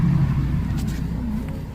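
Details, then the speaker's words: Hyundai Verna being rocked after a new balancing bush is fitted: only a low steady rumble, and the earlier knocking from the front suspension is gone. "Balancing Bush लग गया है जो पहले ये अभी नहीं हो रहा है इसको हिलाने पे"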